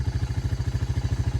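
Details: Early-1990s Honda FourTrax TRX300 ATV, auction machine revived with new carburetor and battery (brakes still not working): even, steady low thumping at roughly twelve beats a second, no misses or clatter; smooth healthy idle, "sounds like a sewing machine".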